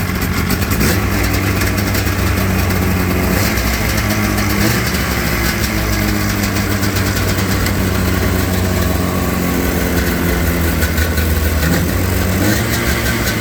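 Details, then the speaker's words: XC 700 two-stroke snowmobile, first start in about five years after a sniff of brake clean, no ignition switch fitted; crisp, steady burble holds an even idle after a couple of blips, no misses or knocks; normal idle. "And remember, we got no ignition switch on, but the kill switch is still working. One full idle it."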